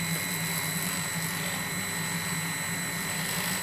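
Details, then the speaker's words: Veeder-Root Model 6611 hand tachometer held against a running motor: steady high-pitched whine with a rushing note, sagging slightly as the slipping tool loads and slows the motor; pitch rises when unloaded. "know what I bet you I know I'm slowing the tool down because it's slipping and then I Drive the tool I'm loading the tool so that's why"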